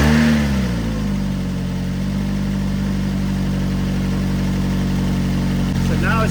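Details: Car with dead battery from sitting, jump-started with Hulkman Alpha Pro jump pack at 57%: a short crank, then it fires, revs briefly and settles into a smooth, even idle; a clean, healthy start.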